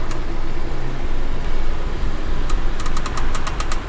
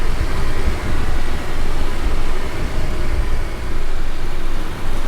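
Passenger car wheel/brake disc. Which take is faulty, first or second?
first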